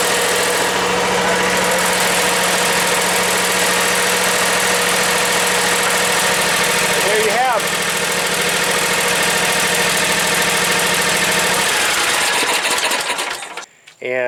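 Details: John Deere X320 lawn tractor's Kawasaki engine after carburetor replacement, half throttle with a little choke and air cleaner fitted: steady even buzz with no hunting or stumbling for over ten seconds, then shutdown; healthy idle.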